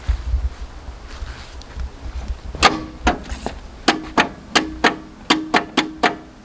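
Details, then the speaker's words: Abandoned 1980s Jeep CJ7 with an AMC 304 V8, left for years, jumped from a borrowed battery: about a dozen sharp starter clunks with no cranking. The engine is seized and won't turn with a breaker bar; plan is to soak it in ATF, diesel or vinegar. "those kind of clunky noises well I reckon that's going to be about it for now I need to uh get some ATF to get in there maybe some diesel vinegar find something that'll free this thing up I put the breaker bar on the front and you saw that she is stuck"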